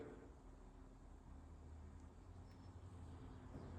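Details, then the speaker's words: Motorized overhead window closing: quiet, steady low motor drone with no catching or grinding, slow but smooth and secure, ending in a clunk; normal operation. "Just press it once. And it's slow but stable and secure. You see it's closing."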